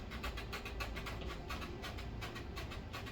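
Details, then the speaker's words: Treadmill switched off, person bouncing on the rear of the deck: short, sharp squeaks with each footfall, louder at the back than the front; drive motor, belt and rollers ruled out since they are not engaged. "you can clearly hear the noise. It has nothing to do with the drive system. I can rule out the drive motor, I can rule out the drive belt, I can rule out the rollers because they're not being engaged right now."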